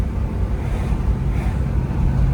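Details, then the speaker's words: 1968 Firebird with 403 engine swap on its first road test, cruising in 2nd gear: low, even engine rumble under road and wind noise, only the clutch fan audible, no knocks or ticks; quiet, healthy V8. "I mean, you hear it? All you can hear is the fan. And it's a clutch fan too."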